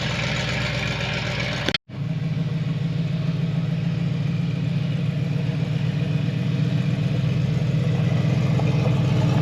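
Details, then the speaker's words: 1972 Chevrolet Impala, previously parked with a severe misfire, after points filing and timing adjustment: steady even low idle with smooth uniform pulse, no tapping or missing; runs healthy and drives again. "so there you go guys 1972 inala will it run and drive it's on the road again"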